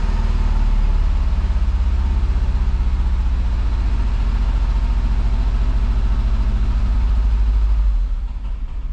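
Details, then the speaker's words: Fiat Brava parked for 23 years, now running on tank gasoline: lumpy, uneven low idle loping about twice a second, stumbling and dying away, running on perhaps two or three cylinders; injectors suspected. "ele não consegue manter ó galera agora ele tá funcionando aqui eu acho que em dois ou três cilindros mas tá funcionando agora com gasolina do tanque né"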